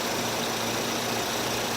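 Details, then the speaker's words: 2008 Nissan Versa at idle, formerly very quiet: a faint, steady whine over an even idle that does not change pitch. The owner suspects an alternator pulley going bad; a mechanic had said timing chain. Cause unconfirmed. "It sounds like it might be the alternator. Oh, that's why. It's a pulley, I think."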